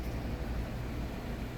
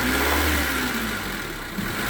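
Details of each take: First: 1996 Honda Civic EX 1.6L petrol with replaced engine, warm, idling low and steady around 700–720 rpm after sensor adjusted from 0.59 to 0.49 V, down from 1400 rpm; even rumble, no surging. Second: 1996 Honda Civic EX 1.6L with replaced engine, being reassembled after a start-then-stall idle problem; revs settle to idle with a light quick tick despite valve lash adjusted earlier, owner plans to recheck valve lash; engine ticking.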